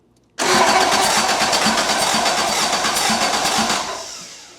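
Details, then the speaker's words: Toyota AE86 with a swapped 4AGE 20V black top engine on a Haltech ECU, first start attempt. Starter spins the engine at a steady chugging rhythm for about four seconds but it never fires. No RPM signal and no spark; a spark plug pulled afterwards was wet with fuel. "Well, it cranks. It's making cranky noises. Let me see if I got RPM. No RPM."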